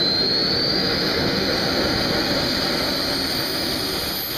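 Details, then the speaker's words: Old AMT air-start RC turbine engine, started manually on propane with glow and air in cold, near-freezing weather. After it pops, it gives a steady roar with a high hiss and a constant-pitch whistle: lit and running smoothly. "once you hear it pop you can basically get the air on it full start turning up the propane and it should be ready to go"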